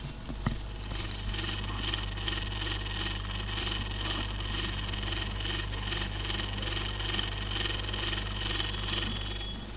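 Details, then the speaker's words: Dell P25F laptop running normally but very loud: steady drone with pulsing rough buzz from the CPU fan; worn CPU fan to be replaced. "वो अब लैपटॉप बिल्कुल okay working चल रहा है, लेकिन इसकी फ़ैन से बहुत तेज़ आवाज़ आ रही है।"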